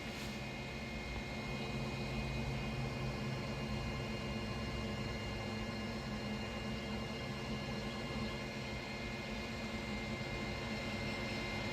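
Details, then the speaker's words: AllPowers S2000 solar generator at 100% battery, plugged into 110 V with solar input in strong sun after an abuse test: steady, even cooling fan whir with faint hum, no rattle or scrape, slowing in incremental steps as it cools; normal. "definitely slowing down I don't know if you guys can hear it but the fan is slowing down very incremental steps of slowing down as it cools off"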